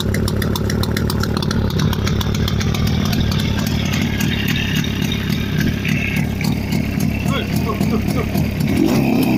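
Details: Jawa 350 type 638 two-stroke with CDI ignition after full rebuild (cylinders bored, new pistons, crankshaft restored, gearbox repaired, new chain, bearings, seals): crisp, fast crackle at steady high idle, even firing, no knocks or rattles; healthy.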